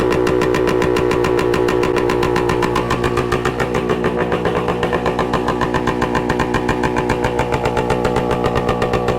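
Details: 1966 Suzuki Bearcat 120cc two-stroke, revived after sitting dormant: quick pops, then a steady, crisp idle of three to four beats a second, settling as it warms; sounds good, run to find a suspected leak.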